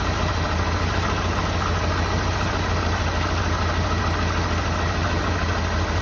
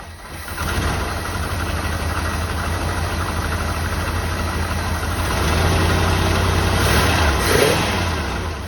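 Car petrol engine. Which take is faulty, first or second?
second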